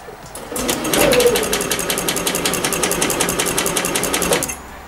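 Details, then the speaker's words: 2021 Yamaha XMax 125 (Blue Core, Euro 5) at 11,000 km, which died on the highway with a broken engine, rebuilt with a new spark plug: about eight slow starter chugs a second for four seconds with no start; battery judged flat, to be recharged. "la batterie doit être à genou bon ben voilà je vais recharger la batterie"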